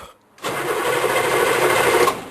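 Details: Diesel Blazer after fitting a rebuilt starter and an engine mount and replacing the fuel bypass hose, on decent but not fully charged batteries and without glow plugs: about 1.5 s of strong, quick, even cranking with no dragging; normal cranking.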